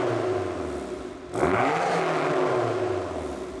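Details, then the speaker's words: Japanese turbo AWD tuner car, 238,000 miles, no smoke, recent 2,000-mile trip without issues: smooth steady turbo four idle with one brief rev blip, no ticking or knocking; normal healthy idle. "Listen to how nice this engine idles too. Just no ticking, no nothing."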